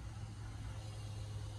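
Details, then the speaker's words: Lorry after simple fix: quiet, even low diesel hum, no hiss of escaping air; oil spinning around, system sounds tight and healthy. "That's oil spinning going around. That's lovely."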